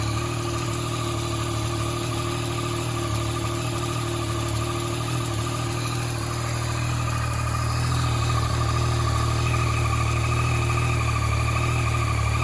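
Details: 2014 Yamaha MT-09 engine at idle: a light, fairly regular ticking about three times per second rides on top of the steady idle, with the source of the click unclear.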